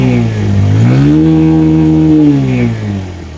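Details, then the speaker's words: Motorcycle that failed on the road and would not start for 40-45 minutes, started in neutral; single-cylinder catches and revs up, pitch rising, holding, easing off; intermittent no-start, cause unknown. "গাড়িটা নিউট্রালে লাগিয়ে আর একবার start দিয়ে দেখি start নেই কিনা। না খবর নেই। বন্ধুরা গাড়ি আমার স্টার্ট নিয়েছে এখন।"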